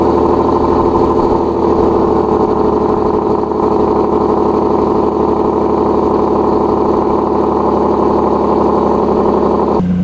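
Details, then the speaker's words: Nissan 370Z Nismo single turbo, cold start after sitting about three days; loud, steady idle with an even throb and no raspy puffing, so no exhaust leak; normal cold start idle. "it sounds like we're good"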